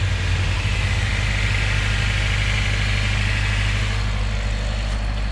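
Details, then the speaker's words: Honda Civic with K24 swap after replacing a worn old crank pulley with a new Honda OEM one (timing cover dented): steady, even low idle with a smooth hum; high-pitched rotational whir is gone. "We are good to go, guys. Good to go. No more of that. No more of that high pitch rotational noise."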